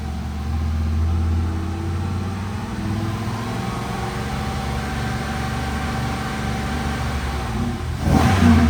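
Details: Chevrolet Monte Carlo SS (probably 2006), 5.3L V8, front-wheel drive, after replacing a faulty melted catalytic converter (P0420 catalyst code): revving under throttle, hum rising and settling without misses, rattles or exhaust hiss; downstream O2 sensor switching normally, repair successful.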